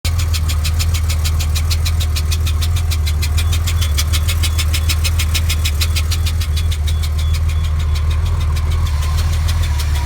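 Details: 1992 Porsche 965 turbo flat-six idling with a fast, even clicking riding over its deep, steady rumble; clicking sound of unstated cause.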